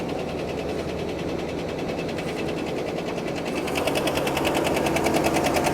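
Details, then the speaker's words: Well-used triple-black vehicle at a dealer auction, idling with the hood open. Loud, sharp, fast regular ticking at about three per second. Not thought to be an exhaust leak; a rod or bearing failure is suspected, not confirmed. "Well, that is definitely a tick. That's a lot of ticking. That's a lot of ticking. And I don't think it's an exhaust leak."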